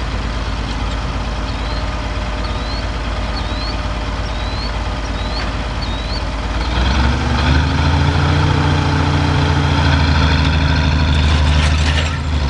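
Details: Oliver 1550 tractor diesel pulling a John Deere disk, running clean now that whatever was contaminating the fuel system has cleared; deep, steady drone that firms up and holds even pitch as load comes on, no stumble or surging.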